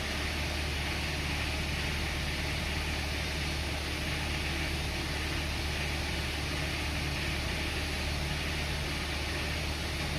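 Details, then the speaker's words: 2015 Hyundai Santa Fe petrol engine held near 2,000 rpm in park, best judged when warmed to about 80°C: a rattly metallic knock like marbles in a can under the drone, from a worn connecting rod bearing, not piston slap. "이 소리 는 피스톤 슬랩 으로 인 한 노킹 소리 가 아니라 , 커넥팅 로드 베어링 하단 의 마모로 인 한 유격 때문 에 발생 하는 소리 입니다 ."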